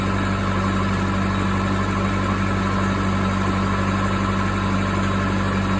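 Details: Case 450B dozer, 207 diesel, just after reinstalling rebuilt injection pump (fuel had been mixing into oil); steady, even diesel clatter at a brisk idle, faster than normal; idle set slightly high, needs adjustment.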